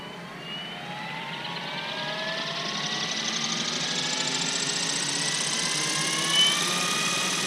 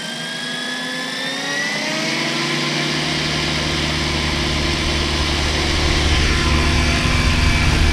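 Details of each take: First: New Goblin 500 RC helicopter maiden, Scorpion 4020 1100kV motor, Tribunus 80 ESC: motor whine climbing as head spools up with a pulsing beat, skid vibration from badly out-of-balance main blades salvaged from two crashes; tracking good. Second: Goblin 500 RC helicopter, second flight after rebalancing badly out-of-balance main blades: rotor hum spools up to a steady pitch with no wobble or throbbing, much smoother; tail belt may have loosened.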